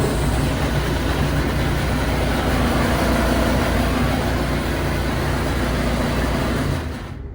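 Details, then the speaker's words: Samsung dryer running: loud, heavy rattle and deep vibration apparently from the blower fan area, where lint and debris buildup can cause it. "So it seems like everything is spinning, it's running, but we're just hearing a crazy rattle and vibration type sound."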